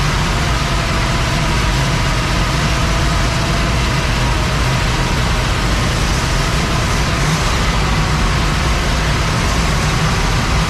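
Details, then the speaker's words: 1961 Cadillac V8 after new points, carb vacuum line work and brake job: steady even rumble with no misses, knocks or ticks; runs smooth, though timing was thought slightly retarded at first. "Okay, she runs. There she is."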